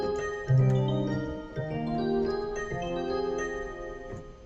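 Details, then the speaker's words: Secondhand Yamaha SY22 synthesizer played in switch test mode: clean steady notes, no hiss or buzz; mod wheel and pitch bend work. Outside test mode a harsh pulsating foghorn-like noise returns; owner suspects the presets. "And the sound is fine, and the modulation wheel works, the pitch bend works."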